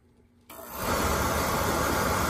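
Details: Oil-fired boiler that would not light because clogged filters restricted the oil, after all filters were replaced: a click, then the burner lights with a steady, even roar and hiss that settles quickly, indicating normal firing.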